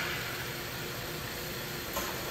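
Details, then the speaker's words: Vauxhall Astra with EML on, code P0171 system too lean, fuel trims high: steady airy hiss at idle, massive vacuum at dipstick and oil filler cap; suspected failed PCV valve integrated in valve cover, needing new cover. "So, normally what I do is get a smoke machine to look for an air leak or something, but I can hear that there's like a vacuum leak coming through the engine."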